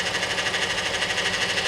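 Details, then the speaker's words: Vehicle with 3.6 V6 and 62TE automatic transmission, codes P0944 among them, idling in park; steady high-pitched whine keeps getting louder, fluid found low, transmission whine. "oh y'all hear that it's getting louder that is a 62 te it's getting louder and louder guys i want to check this fluid"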